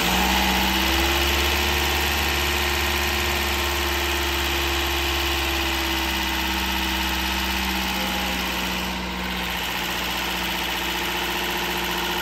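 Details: Toyota Corolla 2ZR-FE 1.8L engine, first start after rebuild and installation: steady, even idle with a smooth low hum and no knocks, ticks or misses; running cleanly.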